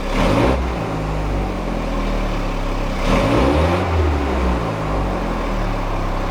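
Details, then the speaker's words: VW Golf Mk3 with original throttle body, single-point injection and sensors plus working Hall sensor, after new distributor caused rough idle: engine picks up cleanly on a blip and settles without stumbling or cutting out. "better didn't cut out at all"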